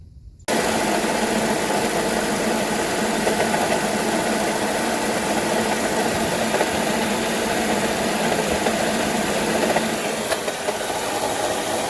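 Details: 2007 Honda Odyssey idling with a constant fast, rattly tick over the hum; a new timing belt tensioner did not cure it.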